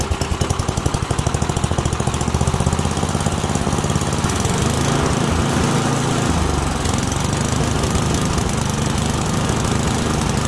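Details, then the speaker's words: Small engine with an adjustable carburetor, deliberately set lean: uneven popping and sputtering that won't settle or rev up. This is a lean mixture condition. "all right that was a lean condition so your key characteristics of a lean condition you can hear it was popping sputtering did not want to rev up"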